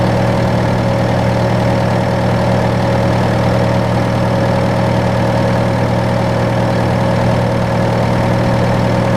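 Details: John Deere 6115M diesel tractor (about 3 years, under 1000 hours) idling after rubber fuel line replacement and electric-pump priming; steady, even idle with smooth low drone, no knocks, misses or hunting; normal idle.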